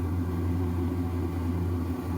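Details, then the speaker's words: RV furnace after repair: burner has just lit with the blower running (the fan had been starting and then shutting off), steady low blower hum under a soft burner roar with no cut-out; normal furnace operation. "you hear that that's it the burner just came on so let's see if that stays on"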